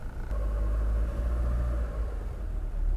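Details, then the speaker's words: 1987 Honda Civic Wonder, started before driving to the dealer for a repaint (overheated later en route): steady low even idle rumble, no knocks, ticks or misses; normal idle. "Kalau aku dengerin dari si suaranya sih oke ya. Aman-aman aja sih, tapi kita lihat selama perjalanan tuh seperti apa."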